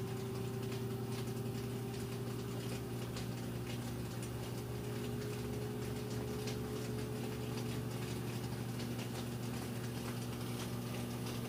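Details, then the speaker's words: Like-new Samsung front-load washer with a load, spin coming up to full speed: smooth, even motor hum with steady tones and no knocking or thumping; balanced, no weird noises, healthy. "you can see even at that speed nice and smooth it's not off balance or making any weird noises or anything like that"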